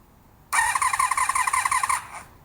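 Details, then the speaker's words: 1982-83 Honda V45 Sabre four-cylinder cafe racer with choke off: starter whirs evenly for about 1.5 seconds with no cylinder firing; cranks but won't start, later traced to insufficient fuel in the carbs. "Nothing. And just to illustrate with the choke, so full choke. The goal is to get the bike to be able to start without choke and fire on all 4 cylinders."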